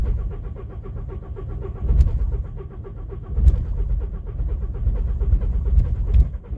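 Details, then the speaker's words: VW Golf Plus 1.9 TDI PD 90bhp 5-speed manual, after a camshaft and bucket replacement: steady cranking for several seconds with heavier thumps but no catch. Glow plugs are faulty; owner suspects timing, possibly the high-pressure fuel pump. Unconfirmed. "So you can hear that struggling. It should fire up eventually. It'll spring into life, he says."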